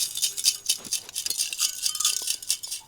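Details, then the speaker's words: BenQ W1070 projector lamp that exploded, shaken next to the microphone: bright tinkling rattle of loose broken glass shards inside the lamp housing. "That's all broken glass inside here."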